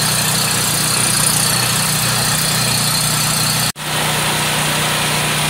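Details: Homelite 5000 generator with a Subaru engine, restarted after sitting unused for 8 months: even, steady engine drone with a brief dropout near the end; runs smoothly with no knocking or hunting.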